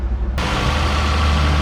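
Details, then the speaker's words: 2008 Toyota Camry LE, 2.4-liter four-cylinder, 80,000 miles, check engine light on: steady even low hum at idle with no stumble, tick or knock; normal smooth idle. "2.4 liter four-cylinder great engine by Toyota and this one sounds like it's running smoothly"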